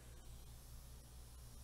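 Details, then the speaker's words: MacBook Pro A1708 2017 13-inch after a bad battery replacement, with no trackpad detected. Steady, loud airy rush with a low hum: the fan runs at full speed, which usually means a component such as the trackpad is disconnected. "we do know that if something usually isn't connected that doesn't have that fan spin it gets really really loud"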